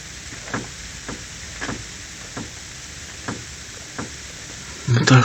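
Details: Renault (Kangoo/Logan/Symbol/Clio type) steering rack with boots removed, tie rod pulled by hand. Dull single clunks about a second apart from free play in the rack. Owner suspects a plastic bushing is misplaced, not confirmed.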